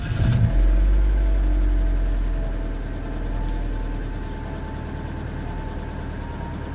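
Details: BMW 116i E87 N45 engine, cold start at about −20°C: a loud start settling into a fast tapping of about three per second with the oil pressure light on, oil starvation with a slack timing chain; after about 10 minutes it went quiet and oil pressure returned.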